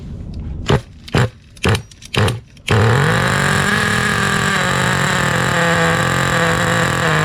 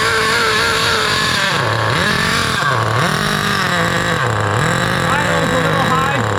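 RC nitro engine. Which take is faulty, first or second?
first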